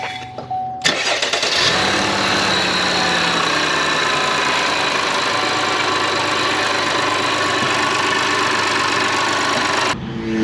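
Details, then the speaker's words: GMC Acadia (2017–2023) 3.6L V6 after high pressure fuel pump replacement: short crank, catches quickly, settles into steady even idle with no misses, knocks or ticks; no leak, running good with lots of power. "Hopefully it doesn't change its mind and, you know, start to leak, but as of right now it's running good. Lots of power, which is very good."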